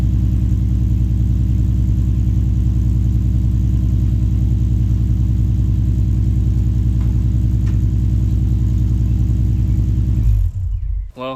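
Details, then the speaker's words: Infiniti G35/Nissan 350Z V6 idling after an ISR single exhaust install: deep, steady rumble with a faint puffing tick on each pulse, then shut off. Exhaust leaks after the extension and at an under-tightened bolt. "I do have exhaust leaks though. So I'm gonna get that worked out right now."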